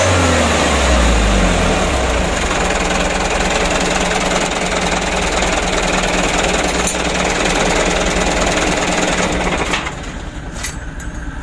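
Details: Mitsubishi Canter truck diesel after plunger replacement to cure hard starting; loud, even clatter at about four beats a second holds steady, then eases off, runs properly with less shaking. Normal idle and rev.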